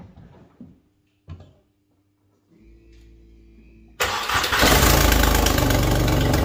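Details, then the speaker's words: Skoda Fabia 1.2 12V before repair: the engine catches after a few clicks and runs loud and raspy with a fast, tractor-like chuffing pulse. The catalytic converter, integral with the exhaust manifold, is leaking. Exhaust leak at the manifold cat. "Ano mianowicie nieszczelny jest katalizator katalizator występuje z kolektorem wydechowym jako jedna część"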